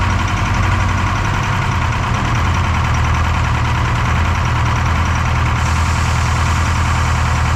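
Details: Detroit 4-53T turbo two-stroke diesel, 9G90 injectors, modulator off for full rack: heavy drone with lumpy uneven beat and missing pulse; dead cylinder, injector number two (coldest on IR gun) not firing on screwdriver isolation; low fuel pressure suspected.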